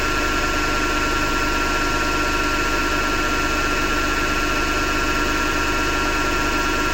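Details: Hotpoint Ariston FMD963 washing machine running with steady rough grinding over a constant hum; owner thinks it comes from the motor rather than the drum and plans to remove the belt to test.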